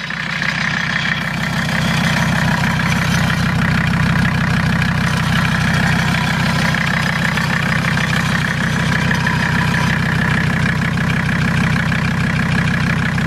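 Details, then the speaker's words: Mercedes diesel just after Seafoam overdose (about 24 oz in fuel, 8 oz in crankcase oil): starts a little rough, steady clatter at idle with quick, slightly uneven valve tapping. "she started a little rough"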